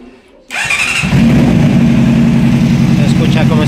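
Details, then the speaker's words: Honda CBR600 running unstable: engine catches into an uneven, stumbling, lumpy idle; one cylinder's temperature reads about 45–55 versus 80–140 on the others, indicating that cylinder misfiring from a failed ignition coil. "la motocicleta arranca pero está muy inestable lo primero que checamos fue temperaturas 82 80 80 y este de acá nos marca 45 lo cual nos indica que el cilindro ese cilindro está fallando"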